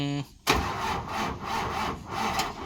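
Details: Old diesel vehicle that still won't start even with five batteries: the starter cranks sluggishly in uneven surges, then stalls. Weak cranking from insufficient battery power.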